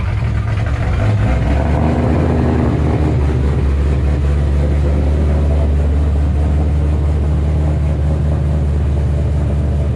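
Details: 2007 Shelby GT500 supercharged V8, first cold start after installing L&M NSR camshafts with Venomous Tuning tune: deep heavy rumble, slight lope at cold idle, no knocks or ticks; idle expected to drop lower when warm. Normal idle.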